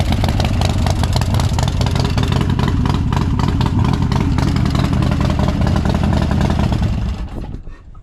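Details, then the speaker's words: Crashed Harley-Davidson Dyna Street Bob, reportedly built engine, unrun for months, possibly stale fuel, cranked with plugs out for oil pressure first: loud, lumpy V-twin firing, steady deep rhythm rising with throttle then winding down at shutoff; runs fine. "Pretty happy to know that it starts and runs. She sounds like she's had a bit of engine work done, so I wouldn't mind knowing more about what's done to it."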